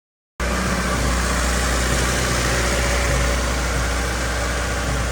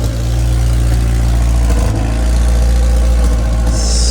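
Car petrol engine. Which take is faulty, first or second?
second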